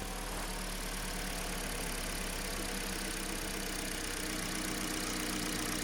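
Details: 2015 car with G4NA engine and manual gearbox, about 134,000–135,000 km, gearbox noisy: quiet steady idle with clutch held down, no whine or rumble, just even engine hum; flywheel, clutch and input shaft bearings still need replacing.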